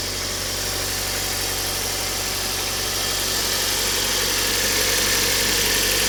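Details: Kia Cerato at idle: steady idle with a regular light tapping about four per second over the engine hum; engine knock of unknown origin.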